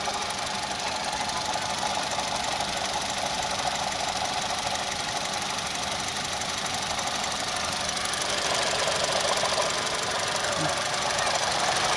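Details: Engine with code P0016 (crankshaft/camshaft position correlation) that developed a knock: fast, fairly regular knock about three per second over running engine; cause unconfirmed.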